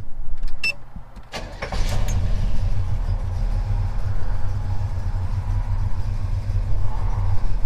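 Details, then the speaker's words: 1977 Chevy C10 with lumpy cam, some mornings after start-up: low, lumpy idle around 600 rpm that chugs, chokes and nearly stalls, rocking the truck; rough idle from A/C compressor load. "and it would idle around 600 and when I pulled up to a stop sign or go through a drive-thru it would sit and chug and choke and feel like it was almost gonna stall"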